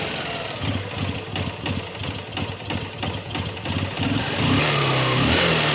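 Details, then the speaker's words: Honda Shine SP BS4 single-cylinder after tensioner fix, warming up: even idle about three beats a second; the knocking from the chain side is gone. "ये side से दोस्तों knocking की आवाज आ रही थी य देखि दो अभी पूरी जो आवाज जो है वो चली गई है"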